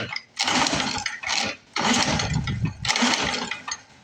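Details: Lawn-Boy Mag 21 mower left sitting about 15 years, top off, oil added; three rasping pull-cord strokes with no firing or catch. Cranks but won't start; owner then tries choke and fuel to fill carburetor bowl.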